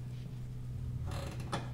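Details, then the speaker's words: Switchable seat belt retractor pulled fully out and let back in to switch to automatic locking retractor (ALR, car seat mode): low steady creak and sharp clicks as webbing is tugged, retractor locked and not paying out. "do you hear that clicking i've now switched it over to the locked mode or in your owner's manual sometimes it'll say alr which means automatic locking retractor"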